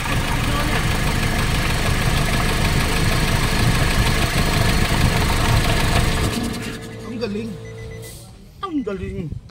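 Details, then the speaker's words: Nissan NV350 diesel running with the valve cover off after new injector washers stopped the leaks. Loud clatter with an uneven knock of about three to four beats a second through a rough idle; vibration and fuel knocking remain. Diesel knock. "so wala ng singaw pero Napansin ko meron pa rin siyang vibration tsaka fuel knocking"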